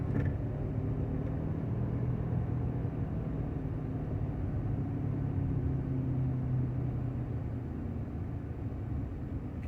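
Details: 1995 Honda Accord, about 339,000 miles, still shifts: low steady growl from the front while coasting downhill off throttle, no vibration, none under acceleration or uphill; cause unknown.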